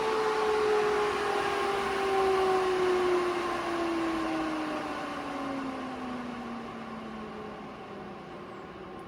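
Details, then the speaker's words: AC Infinity variable-speed garage vent fan after running at speed five: steady rushing airflow with a smooth tone that slowly drops in pitch as the fan winds down. It runs fine. "okay now it sounds like a jet engine"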